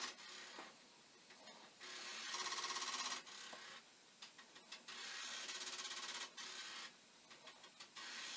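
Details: Commodore 1541 disk drive (test drive's mechanism on the faulty drive's board and power supply) looping during adjustment: rapid metallic ticking bursts about three per second between quieter whirring; head knocking against its stop.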